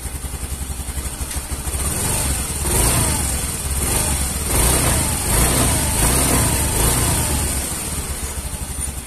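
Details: Yamaha Mio M3 automatic scooter with a hesitation and power-loss complaint, fuel pressure reading about 70: steady, even single-cylinder idle with a couple of smooth throttle blips, no stumble or misfire; normal idle.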